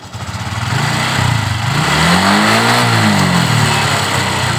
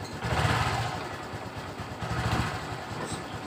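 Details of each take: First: Honda Supra X 125 injection motorcycle, previously no-start and stumbling when revved, after wiring repair (battery also weak, kick-started): quick smooth rev then steady even idle, now normal. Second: Honda Supra X 125 fuel-injected motorcycle stumbling and bogging under throttle, hard to start by starter and kick, engine light blinking seven times; mechanic suspects a fault on the left side of the engine near the cylinder.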